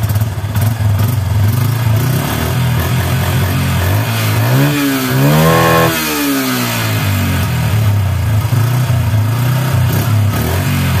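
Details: Yamaha Bison with misfiring, popping and black exhaust smoke, after plugging a failed, stuck-open membrane with flip-flop rubber: uneven idle, then a throttle blip with sharp pops through the rise and fall of revs; still popping.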